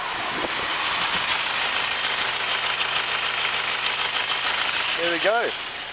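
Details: 2017 Subaru Outback EE20 2.0 turbo diesel boxer, 6-speed manual, 31,291 km, started in neutral with clutch in: catches and settles into a steady, even idle with a hissy top end and no knocking; healthy engine.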